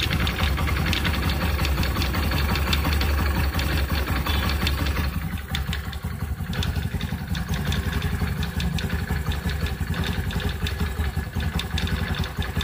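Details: New Honda Activa 125 scooter: steady low idle with uneven clatter about three beats a second; bearing issue suspected, not confirmed.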